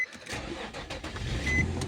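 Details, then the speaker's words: Infiniti FX35 starting after service interval reset: brief crank, catches quickly, settles into quiet even run with no rattle or stumble; normal engine start. "Запустився. Ой, який чудовий звук мотору в цього автомобіля."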